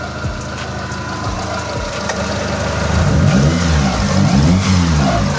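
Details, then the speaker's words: Mitsubishi Lancer "itlog", after repair of misfire, no power and reversed firing order: engine note climbs cleanly on each throttle blip and settles back without misfire or knock; power restored, running healthy. "Okay, may power na. Ganda ng kondisyon ngayon mga boss. Ayan. Tahimik. Tahimik na yung makina."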